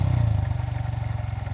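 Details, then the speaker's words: New Honda Hornet 125, riding at low speed in first gear: small single pulsing evenly with faint primary gear hum audible because engine is very quiet; mechanic says it is no problem—normal primary gear whine at low speed. "ये है इसकी primary gear का हल्का सा जो आवाज मतलब बहुत साइलेंट है इसलिए प्राइमरी गियर की आवाज सुनाई पड़ती है। वो कोई प्रॉब्लम नहीं बता रहा हूं भाई।"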